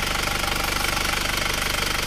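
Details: Isuzu Panther automatic diesel, rebuilt after low compression and stalling at low rpm, warm idle at the workshop after the road test: even, regular clatter with no stumbling or extra knocks, and very thin smoke. Healthy.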